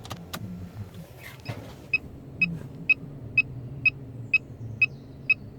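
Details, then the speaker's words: 1997 Jaguar XJ6 X300 3.2 manual, interior stripped after a failed MOT; on a start attempt a sharp high beep repeats about twice a second with no cranking; the car has immobilised itself, owner suspects a loose wire he disturbed. "I'm gonna try and start it look what's that beeping noise in the error message"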